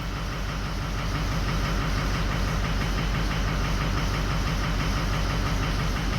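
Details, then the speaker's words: 2004 Ford 6.0L Powerstroke diesel after a few minutes running: loud, lumpy idle with uneven thump about three a second as injectors 1, 7, 3 and 5 all drop out, whole odd bank 1 misfiring. "now it's getting worse. Now 5's starting to drop out now. So we pretty much got 1, 7, 3, and 5 all dropped out."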